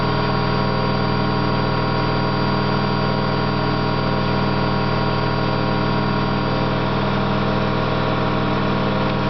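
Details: Candy GO4 127 DF washing machine in fast spin: constant deep droning rumble with hard hum over it, loud but steady, from worn drum bearings, described as not very bad but loud.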